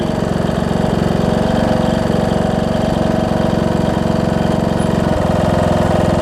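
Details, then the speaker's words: John Deere D110 mower engine test-running after a full rebuild with a new head gasket, done after a detached flywheel magnet was found: fast, even firing pulses at steady speed, no knocks or misses. Possible valve-cover oil leak, maybe just burn-off. Normal running. "seems to run good oh so good"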